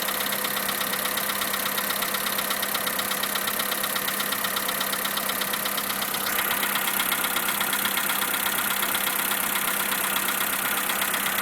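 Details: 2011 Skoda Fabia 1.4, cold engine: sharp, regular metallic knocking over idle, persisted after tensioner roller replacement; dealer found piston slap and replaced pistons and rings under warranty.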